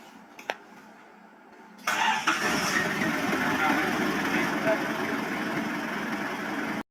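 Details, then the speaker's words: Isuzu Bighorn restarted after about 8 months parked (not run since end of 2022), previously hard starting: engine catches after a brief crank and settles into an even, steady idle with no knocks or misses; normal idle. "lebih kurang 78 bulan lah sudah tidak bergerak keretanya akhirnya keretanya hidup lagi selepas 8 bulan"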